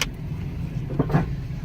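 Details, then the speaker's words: Jeep Compass, 150,000 miles, ABS and traction control lights on, while driving: loud low hollow thumps over road rumble from severely worn suspension, strut top mount coming apart; loose steering. "Do y'all hear that? Hold on. Good lord. Okay. This suspension about to come apart."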